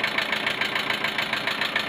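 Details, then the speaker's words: Car engine idling warm after head gasket replacement, two valve buckets swapped, timing not fully finished, alternator belt off; light quick tick, smooth when cold, ticks and runs like a diesel when warm; owner suspects too much oil or tensioner; valve train ticking. "No bo cyka. Chodzi jak diesel, kurde."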